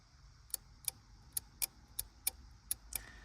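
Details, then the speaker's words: Relay with each switching coil fed 12 volts on the bench: crisp, sharp clicks about every third of a second; the relay pulls in cleanly. "the way we're going to test this is basically by applying 12 volts to each individual da and individual switching coil"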